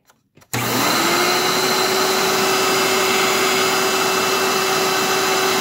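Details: March 1997 Hoover Elite vacuum after refurb, phone held close to the motor: steady mid-pitched whine under rushing hiss with a slightly dry rasp; motor bearings worn and due for replacement.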